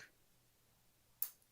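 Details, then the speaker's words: Solenoid removed during printer disassembly, bench-powered at roughly 20 to 22 volts; quiet room, then one sharp click as the normally pulled-out solenoid snaps back: normal solenoid snap-back. "yes okay cool so it's a Sol no that's normally pulled out and every so often it just snaps back that's good to know"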